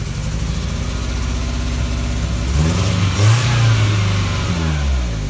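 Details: 1994 Toyota Tercel, compression 60 psi raised to 90 with Seafoam; after second can run through PCV vacuum line, engine revs then settles to lumpy, uneven, stumbling idle; misfire from low compression, owner suspects an intake or exhaust valve not sealing.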